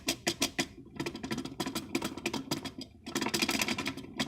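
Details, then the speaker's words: Honda CR-V 3rd gen 2.0 manual gearbox: rapid uneven clacking rattle with diesel-like knock at idle, vanishing when clutch pedal is pressed as the disc stops; worn, battered clutch disc hub splines let the disc jump sideways. "Когда сцепление выжимаешь, все, он пропадает, потому что диск останавливается. А когда он крутится со смещением, то есть в какую-то либо сторону прыгает диск сам."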